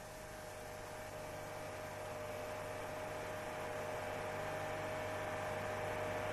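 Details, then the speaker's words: Owner complains of boom at 4200 rpm; steady droning hum with a low throb and fixed mid tone, swelling at high revs, as engine vibration drives the exhaust pipe and an improperly installed pipe support passes it into the body. "владелец этого автомобиля жалуется на появление Гула когда двигатель работает при 4200 оборотах в минуту колебания двигателя приводят к вибрациям выхлопной"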